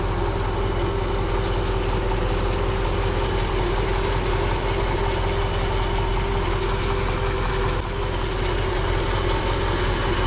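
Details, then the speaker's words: Mercedes-Benz W220 S-class, 5.0 V8 M113 at a dismantling yard: deep, smooth, even idle with a steady hum on top, no knocks or misses; sounds healthy despite oily valve covers. "тут встановлено двигун V8 послухаємо як звучить [музика] непогано"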